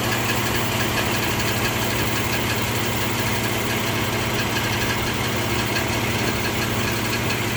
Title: 04 G35 ticking noise